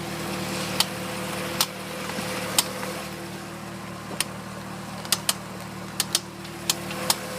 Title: Corvette wheel popping noise while turning sharp